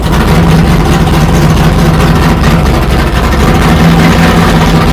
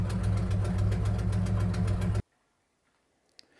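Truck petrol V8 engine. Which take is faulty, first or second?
second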